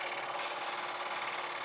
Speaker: see I hear the chattering getting louder now which tells me that my blade is dulling so I'm not getting a lot